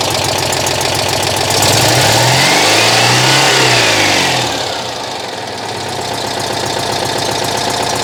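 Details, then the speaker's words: Citroën 2CV flat engine, just restarted after ignition repair, timing not yet aligned with mark: revs swell and settle with sharp regular puffing tick; owner hears a bad exhaust leak somewhere, not located. "I've got a bad exhaust leak in here somewhere I can hear it"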